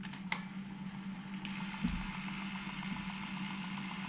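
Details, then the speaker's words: Alpine 5255 in-car cassette deck (1988, auto-reverse), bench-powered on 12 V: fast forward and rewind sound normal, steady low motor hum with light whir and no grinding; only play fails, owner suspects aged drive belt, later confirmed and replaced. "let rewind fast forward they seem to work it's just the play that's not working"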